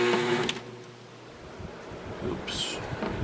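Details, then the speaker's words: Window air conditioner with new capacitor, sharing a circuit with another running air conditioner: heavy low hum for about a second then cuts out; compressor struggles to start, owner suspects shared circuit, possibly needs hard start kit, unsure. "Yeah, there's another air conditioner running on this circuit, and that makes it kind of hard for this one to start sometimes."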